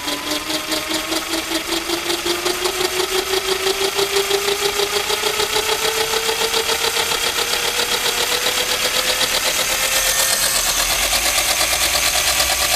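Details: Electric bike conversion, single speed, 20-tooth sprocket: after repositioning the single speed tensioner, motor whine climbs smoothly with throttle and no chain clacking or skipping; chain slipping under high load fixed.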